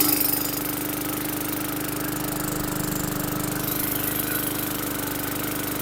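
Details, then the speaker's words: 2017 Bolens lawn mower (model 11A-020W765), bought non-running, primed and started first pull after a little cough and spit: small single-cylinder engine runs a quick steady rattly beat at even speed, running properly. "So started first pull, little cough and spit, but it finally did what it should. So good deal on that."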